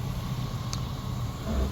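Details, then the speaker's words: Suburban winter car, four-wheel drive working: steady even low rumble at idle with no knocks, misses or ticks; idles and runs well. "runs and drives good you can hear it idling runs really good four wheeel Drive works"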